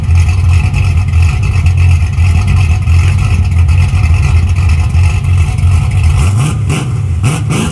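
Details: 1981 Camaro V8 just after top-end swap (roller cam, aluminum heads, new intake), open headers, timing and carburetor not yet set: deep, slightly lumpy idle, steady with no knocks or misses, then a couple of blips; normal idle.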